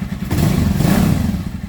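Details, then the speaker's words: Dafra Horizon 150 single (CG 150-type engine), which rattled like a knocking con-rod only when revving up, now climbs smoothly and evenly with no rattle after the worn counterbalance shaft repair spring and parts were replaced with Honda parts. "isso aí fica a dica hein verificar essa porcaria do balanceiro aqui trocar as peças pelo da Honda acabou o problema"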